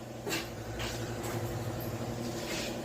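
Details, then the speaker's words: 2019 Toyota Corolla steering rack with internal play: dull, irregular clunks over a low steady hum. Replacing another part didn't fix it; the knock comes from rack play. "Folga na caixa direção. Olha a folga apresentando essa cremaleira, hein?"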